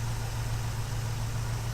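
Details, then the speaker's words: 1968 Ford Mustang during a pre-purchase inspection, hood open, engine idling: steady, even low rumble with no knocks, ticks or stumbles; no abnormal top-end or bottom-end noise and no misfiring heard. Normal idle. "and it sounds pretty solid great I'm not hearing any abnormal noises coming from the top end or the bottom end of the vehicle I don't hear any misfiring"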